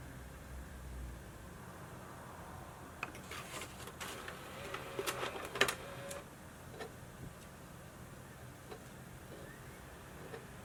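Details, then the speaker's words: Modified 60GB PS3 fitted with a 19-blade fan instead of the standard 15-blade gives a soft steady fan hiss under bursts of irregular clicks and ticks as the disc drive reads periodically. "now that we're back to the ps3 you're seeing disc operation happening periodically and that can get very noisy"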